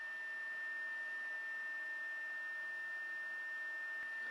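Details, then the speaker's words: Anycubic i3 Mega S 3D printer after replacing failing stock fan with Sunon fan, fans only running: steady high whine over airy rush, no speed change; still fairly loud, hotend fan still a bit loud. "the stock fan was actually starting to give out a bit so you could hear that when it first started it would kind of level out eventually but the sun on fan is going to be a lot higher quality it'll last a lot longer so even with just the fans running the printer is still fairly loud"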